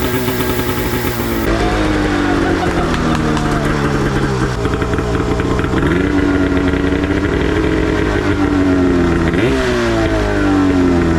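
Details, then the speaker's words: Yamaha YFZ450 chassis with swapped Arctic Cat F1000 two-stroke EFI engine, first start after regulating fuel pressure, correcting swapped coils and new plugs; fires on one pull, crisp idle picking up cleanly on quick blips, no misfire or bogging. "yes holy [ __ ] she fired up I couldn't believe it she fired right up one pull and it idled right away"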